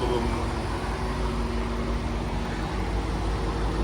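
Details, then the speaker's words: C4 Corvette ZR1 (LT5) with grey GM Multec injectors, before they are replaced. Deep, uneven idle with an occasional dull thump, worsening as the engine gets hotter. Intermittent misfire from failing fuel injectors. "that's the injectors the hotter it gets the worse it gets"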